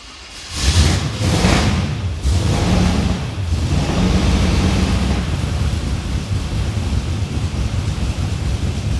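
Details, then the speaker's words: Ute engine, no tailshaft fitted, first start after priming: cranks briefly, catches within a second, then settles into an even, steady run with no knocks or misses; it spat something unknown but runs normally. "it's running it's running okay so it starts okay it's also spat something everywhere here I don't know what that is but we made it run that's a start"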